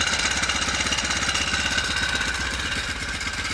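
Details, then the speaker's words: Four-stroke motorized bike after fitting a frame-mount floating idler spring tensioner: steady idle pulse with only light chain clatter behind it. Chain noise much better than with the previous pulley, though not perfect. "take a lot of it out it's not a hundred percent perfect setup but it's much better than the sound pulley"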